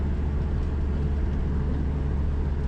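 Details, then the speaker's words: Dodge Neon driving at steady speed after right front spindle replacement for a bad wheel bearing: smooth even road and engine drone, no speed-related roar; previous roaring sound gone, repair successful. "so this uh doing this was a success the car isn't making that roaring sound anymore"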